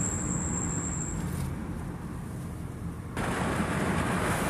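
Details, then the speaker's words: 2013 Honda Accord EX-L coupe slowing down a small hill to a stop: thin high-pitched brake squeal for about a second, then road rumble; intermittent, dealer suggested pad glaze, cause unconfirmed. "Braking. You can definitely hear my brake squeal. Okay, so I'm slowing down, pressing the brakes, going down a little hill. You can hear that again, coming to a stop."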